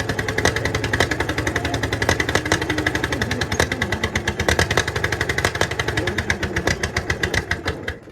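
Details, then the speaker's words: 1951 Caterpillar D8 2U dozer, sat since 1990, seized engine freed, first run on its own power: big diesel thumps along in a steady, even beat with clattery top end; runs normally. "all right that's the first start since they're pretty sure it's been like 1990 was the last time it runs so that was a major achievement there to get it running on its own power"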